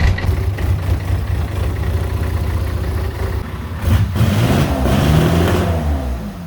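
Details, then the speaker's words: C3 Corvette diesel ("Cyrus") with rebuilt TH350 transmission: deep, steady clatter that settles after a short rev and idles evenly with no misses; starts right up and runs fine though it ran a little warm (overheating issue). "Well, there you go, guys. Things still started right up and ran, even though, you know, she got a little warm. It wasn't too bad."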